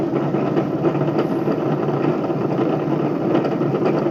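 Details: Bedini motor spinning a BMX rim: steady whirring drone with gritty uneven rumble from worn, bad bearings.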